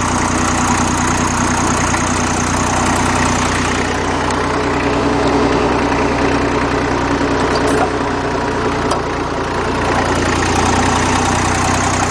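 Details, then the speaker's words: Old Dexta three-cylinder diesel tractor, thought to be a 1950 or 1951, cold-started: a slow, even, loping idle at roughly 400 rpm with a low thump, no rattle or miss; the water pump generator is heard turning. "This thing runs at probably about 400 RPMs."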